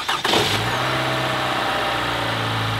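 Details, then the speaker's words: Toyota 1AR-FE 4-cylinder, 130,000 miles, warm restart after cold start: catches at once, steady idle with only faint valve rattle, no metallic VVT knock since the variable valve timing already has oil pressure; oil is dirty. "Now the only thing you hear is a little valve rattle. It's got 130,000 miles, but you don't get that metallic on the first startup because the variable valve timing system already has oil pressure in it."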